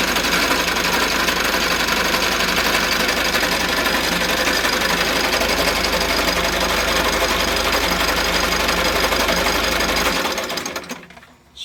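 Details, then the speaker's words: Mitsubishi L300 with 4N14 diesel, complaint of a noisy engine: loud steady diesel clatter with a fast, even tick of about four per second that stays constant; loud engine noise, source not yet isolated before belt-removal test. "So meron tayo ditong L300 na 4N 14. So maingay ang makina."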